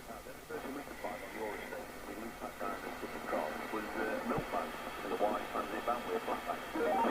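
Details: 1981 Cybernet PTBM002F-chassis Nato 40FM CB on air test on channel 19, after LA4422 audio IC and electrolytic capacitor replacement plus tune-up: clean, open receive audio with steady hiss and faint channel chatter, no distortion or dropouts. Receiving normally.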